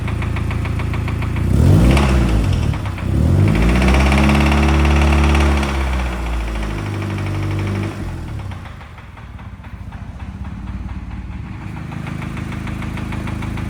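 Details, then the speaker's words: Cheap Honda Civic in need of an engine, just powered up: revs rise and fall, then a steady tapping of about four a second sits over the idle. Engine knock. "but guys probably already hear it definitely knocking"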